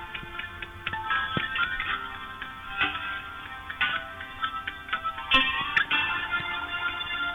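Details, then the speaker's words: Sena 30K Bluetooth intercom in a multi-way link with a Sena 20S, non-HD connection: thin, tinny music broken by random sharp pops and crackles every second or two, popcorn noise still present. "So now let's listen for any popcorn. And I hear it."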